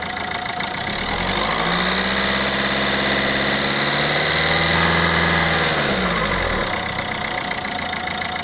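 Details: Renault Scenic 2 engine at idle: sharp, regular knocking about three or four per second rides steadily over the idle; owner unsure whether a leaking injector is the cause, source not confirmed.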